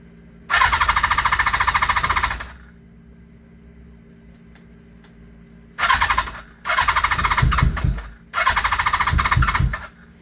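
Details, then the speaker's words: Kawasaki GPz550 motorcycle after two seasons stored, new pod filters, carbs not rejetted, full choke: several rapid cranking bursts with quiet gaps, engine spinning but never firing, close to catching; crank, no start. "she's close she wants to do something"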